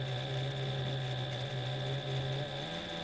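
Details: Reliable SewQuiet 6000SM servo motor on an unoiled Juki DDL-8700, heard near the motor from slow to faster speed: quiet steady hum with a faint high whine; smooth, healthy servo.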